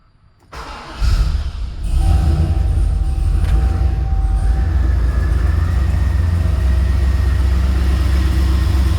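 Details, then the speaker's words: 2003 Chevrolet Silverado 2500HD that cranked but would not start, after repair of bad connections: engine catches after a short crank and settles into a steady, even idle with no misses; normal idle. "because [Music] so so she's running that was our fix a few band connections"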